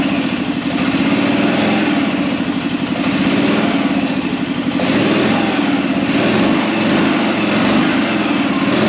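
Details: Arctic Cat Prowler engine just rebuilt with new pots (cylinders), first start after priming the carb: even, steady putter with a light rev swell, no knocks or misses; idling cleanly, though there is air in the system needing bleeding.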